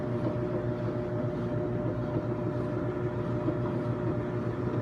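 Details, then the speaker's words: Kenmore stackable front-load washer and dryer running together: steady low drum rumble with faint even hum, no knocks, scraping or squeal; dryer and washer working normally. "as you can see no issues it's working good you hear that dryer"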